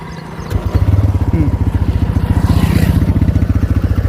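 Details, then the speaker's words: TVS Raider motorcycle after service-centre repair: starts and settles into a steady, even idle thump with no tick-tick; the ticking near the tappet/piston, formerly loud after 10 km, is gone after 30 km. "तो अभी जो अभी जो टिक टिक की आवाज आ रही थी ठीक है वो अब नहीं आ रही है।"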